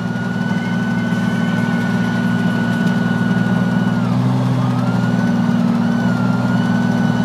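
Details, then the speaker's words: Jeep YJ with cold air intake, idling; thin whistle over the idle changes pitch with throttle position, not rpm, and vanishes past a certain position; louder at speed; owner suspects air intake or vacuum line. "I'm alternating my my pressure on the pedal on the throttle to make it either higher pitch or lower pitch it goes away when I go past a certain position on the throttle"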